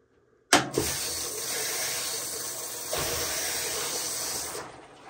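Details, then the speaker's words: Amana front-load washer with LF code, after replacing water inlet valve WPW10212596: steady rush of water for about four seconds, no sputtering or humming; fill valve working normally. "it's not making humming noise and I can see the cold water is coming really good"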